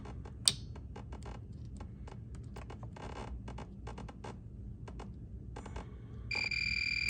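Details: Golf cart starter solenoid with intermittent starting, tested with a multimeter: sharp clicks when the activation wire is touched, then a steady high continuity beep as the contacts close. The solenoid works only intermittently.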